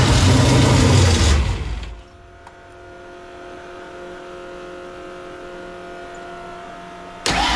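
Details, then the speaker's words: Foxbody convertible, freshly reassembled carburetor with float levels possibly off: engine catches and runs rough about two seconds then dies before the next crank; won't idle, owner suspects carburetor or vacuum leak, doesn't think timing. "it's like a fires but it just doesn't wanna stay running"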